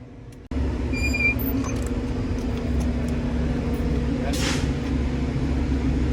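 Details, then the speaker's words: Cummins M11/N14/L10 semi-truck diesel after new fuel filters, primed by filling the filter and cranking; it catches abruptly and settles into a steady, deep, even rumble with no misses, left to run and purge air; normal idle. "Alright, now being that she fired over, I'm gonna fill this up one more time. I'm gonna put my cap on, and then we're gonna let her run and burp herself out."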